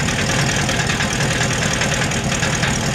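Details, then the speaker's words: Ford Bronco, 418ci 351W stroker (TrickFlow 205 heads, about 527hp), DynoMax VT mufflers on 2.5in duals without an H- or X-pipe. At idle a loose, tinny clatter rides over the lope as scavenging flaps the muffler valves; gone above about 1500 rpm. "are the valves inside the mufflers rattling I've been told by the text at dyno Max that the problem is I do not have an h-pipe or an x-pipe in front of the mufflers and so the Scavenging is pulling the valves back and having them clacked and make a racket at idle"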